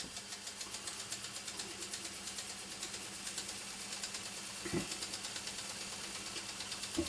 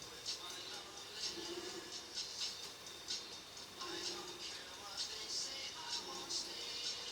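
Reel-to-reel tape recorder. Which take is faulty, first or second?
second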